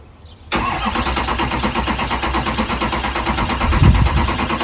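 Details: Converted shuttle bus engine after fitting new batteries (batteries had been acting poorly for a week); short burst of uneven starter cranking and chuffing that never catches into idle; cranks but won't fire, cause unknown.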